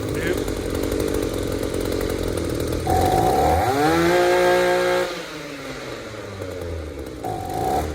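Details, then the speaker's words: Echo two-stroke trimmer, crankcase sealed and fuel filter clean, carburetor blown out and fuel pump cleaned: idles, then stumbles and climbs slowly on throttle before sagging; lean bog from ethanol-corroded aluminum carburetor. "Well guys, I did what I could to get that lean bog out of that throttle response, but as you saw, the corrosion in that carburetor, that ethanol will just eat that aluminum carburetor to pieces."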